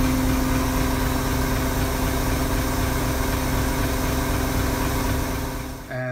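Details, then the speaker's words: Stock Toyota Tundra 5.7L V8 with supercharged build, cold, before ghost cam tune: steady even idle with low exhaust rumble and constant whine from the external fuel pump in the rear. "uh so yeah here goes the stock Tundra exhaust sound"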